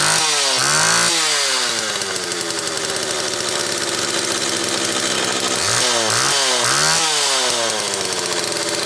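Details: Homelite XL Automatic chainsaw after repair (new bar stud; a fuel fault had made it run only on full choke), half warm on a cold morning, started in about 6 pulls: crisp snarl climbing and dropping cleanly through quick throttle blips, high speed tuned close enough. Runs normally.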